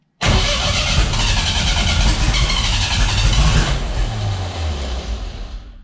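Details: Freshly assembled 500 hp 2.3 engine on first start after priming fuel system: catches and settles into a loud, uneven idle with lumpy low beat and harsh exhaust roar; running rough.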